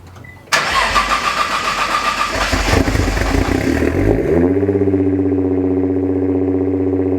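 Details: Nissan GT-R R35, tuned, after a radiator replacement: the starter whirs briefly, the engine catches near four seconds, flares up and settles into a steady, even idle; sounds healthy.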